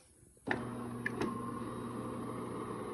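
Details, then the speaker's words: DeLonghi fully automatic coffee machine grinding after oiling the lift rail: steady, even grinding hum with no squeak, creak or knock; the earlier odd noise is gone. "好，仔细听哦，是不是刚刚的医生已经排除了？有没有比较没有刚刚那种奇怪的声音了吧？"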